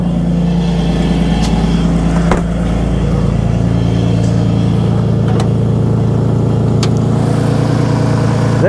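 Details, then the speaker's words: 2002 Lexus IS300 2JZ at 138,359 miles with an aftermarket header: cold idle with a rough, puffing tick over a steady low drone, about three per second, from a bad exhaust leak at the header. "it does have an aftermarket header on it with a terrible exhaust leak"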